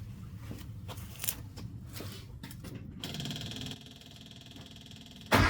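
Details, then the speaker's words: Bugeye Austin-Healey Sprite on the ground after a self-built exhaust pipe and muffler behind the header, air filter refitted: scattered clicks, then a low, even, well-muffled engine note with a sharp rev at the end; normal idle and revving. "So the muffler's doing its job. So I'm really quite happy with how that's turned out."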